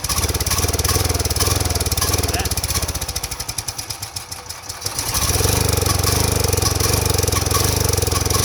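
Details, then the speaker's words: Power Mate 5000 generator (6250 surge watts) sat for years, won't start or dies quickly: runs only on sprayed carb cleaner with choke closed, fast uneven popping sagging nearly dead then recovering; clogged carburetor fuel delivery fault. "Carburetor problem. Fuel delivery. So you notice not the spark plugs, not the ignition. It starts, it's clearly fuel related."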